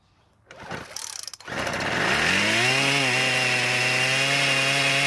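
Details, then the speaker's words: Poulan Pro pole saw, after freeing a stuck engine and repairing a damaged flywheel key, fuel primed: starts and jumps straight to a high steady whine without settling; idle speed screw set way too high, to be turned out. "the good part though was that it started but the bad part was that the idle speed was set way too high"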